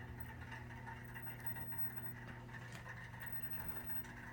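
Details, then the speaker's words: Oil-fired hot-water heating system with Taco zone valves, after thermostat turned up: low steady hum with faint water flow and mid-pitch drone; circulator pump running normally. "There's the circulator."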